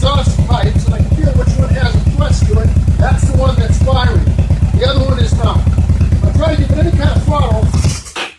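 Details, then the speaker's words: Yamaha XVS1100 motorcycle: a loping, uneven beat near three pulses a second that misfires and falls on its face when the throttle opens; lean running from clogged carburetor metering jets, fixed by cleaning the jets. "opening the throttle up introduces more air and there's not nearly enough fuel to compensate and so it just falls on its face so those are the symptoms that are typical of a restricted metering system in the carbonator"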